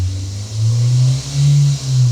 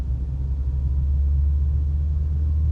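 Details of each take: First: Manual car with the throttle pressed: the engine drone climbs loud and holds high, which is not normal. Around 2 (thousand) rpm on the tachometer the sound becomes normal and signals the shift to 2nd; this is over-revving. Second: Manual-transmission car accelerating in 4th gear from 60 to 80 km/h: a deep, steady, loud engine drone under load with no knock. The high revs signal the point to shift up to 5th.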